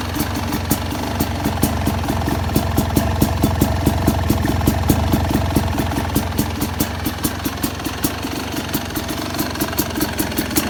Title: 2st YZ250X PULSER COIL DELAY DEGREES IDLE SOUND(more delay)